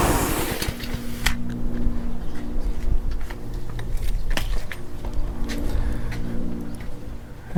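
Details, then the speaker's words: Honda pressure washer small engine running evenly again after its water problem was cleared; the engine, not the pump, had the water issue, and it holds a steady low drone with some ticking and clatter. "there we have it. So it was just the pump that was having, well, excuse me, the engine was having water problems."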